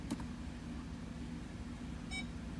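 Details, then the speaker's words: Ford park aid module (PAM) on-demand self-test run through a scan tool. One clean, short beep sounds over a steady cabin hum, so the reverse park aid beeper works. The stored code pointed to the rear outer right sensor. "what you're listening for once you activate this self-test is for the little beeper for the reverse parkade so we're gonna listen to that that's how you know that the beeper works"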